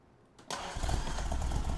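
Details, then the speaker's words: 1964 Triumph TR4 with non-factory cam after tune-up (points gap, timing 4° BTDC, carbs balanced); catches and settles to about 800 rpm idle with slightly uneven loping gallop; owner unsure if cam-related. "it's got a little bit of a gallop to it if you can hear that you also have to remember this isn't the factory cam"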